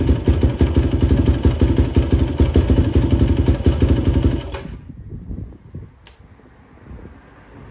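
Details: 2004 Yamaha YFZ450 quad after sitting, carburetor cleaned for a clogged pilot jet and new ignition fitted, on a freshly hooked-up battery: steady, even single-cylinder beat with crisp throttle blips before shutting off; runs pretty good, cooling fan kicks on, not overheating. Normal running.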